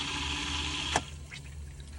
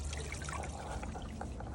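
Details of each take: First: Steady low pump hum under irregular gurgling and spluttering as a Hygger pond pump is briefly run while repriming, with irrigation feed on and bog filter bypassed; air still bleeding from the intake line. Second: Hygger pond pump after bleeding, plugged in for real with bog filter bypassed: steady, even trickle through the pipework with no air gurgle or surging; primed and flowing normally.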